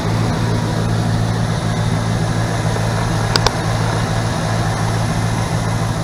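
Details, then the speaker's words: 1977 GMC Sierra K25 with a swapped 2002 Silverado 5.3L V8, SM465 4-speed, NP208, 2.5-inch pipes and what are apparently Flowmaster Super 10s, driven about 3 months without issues: deep, steady V8 idle rumble with no ticks or misfires; healthy. "Okay. Runs really well. No issues with it at all. I've been driving it now for probably about 3 months at least. It runs really good."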